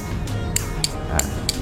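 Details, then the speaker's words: Motorcycle/car light-horn relay bench-wired to a 12 V adapter: sharp single clicks about every third of a second over a low hum, relay pulling in and dropping out cleanly, relay LED lit; wiring correct, normal relay clicking. "Nah, ini perhatikan guys, ini relaynya udah aktif nih guys, dengan apa, dengan tanda bahwa dia udah bunyi tuh, cetak-cetek ya."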